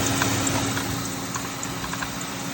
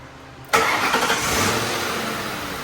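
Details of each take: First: Mercury Grand Marquis at idle: a steady whir with scattered light ticks and knocks from the belt drive. The worn idler pulley does not spin well, and a loose, moving tensioner is causing the knocking; both are being replaced. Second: Grand Marquis engine after replacing the serpentine belt, tensioner and idler pulley: catches and settles into a smooth, even idle with no belt squeal or chirp; previously squeaked and the tensioner bounced.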